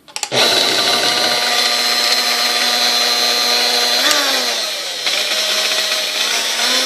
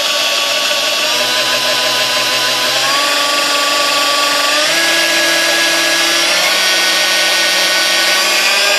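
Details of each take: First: Sunbeam Mixmaster 1-7A stand mixer, well used, broken in shipping, first powered before service: high steady motor whine with a rough buzz that dips and shifts pitch around four seconds; odd start-up noise, cause unclear (resistor later found out of range). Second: Sunbeam Mixmaster 1-7A 235 W mixer after cleaning, lubrication and a rebuilt resistor: a steady motor whine that steps up cleanly through every speed, smooth and healthy.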